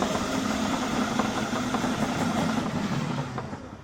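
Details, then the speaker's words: RC Blue Mini Cooper S car with replaced ESC on a 2S lithium-ion battery, driving in circles: uneven rapid knocking, three to four a second, fading as it slows; suspected flat-spotted tyre amplified by the body shell, not confirmed. "i think i can still hear the noise and put the body shell back on"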